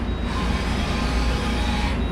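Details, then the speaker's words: 1998 Okuma MX-45VA vertical machining center jogging an axis, machine set on wood and not balanced so shakes slightly; even steady hum, no grinding, weird noises or vibration felt by hand. "No grinding, no weird noises. When you put your hand on it, you can feel there's no vibrations at all."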